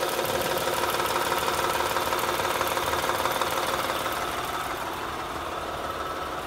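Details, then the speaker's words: 2007 Honda Odyssey Touring 3.5 at idle, stethoscope on the timing belt tensioner; fast steady ticking about three per second over thin hissy idle, pointing to worn tensioner; alternator bearings also noisy. "estamos utilizando una herramienta de selección de ruido lo estamos poniendo en el sensor en este lector de la banda de distribución ahí es donde escuchamos la mayor parte del ruido"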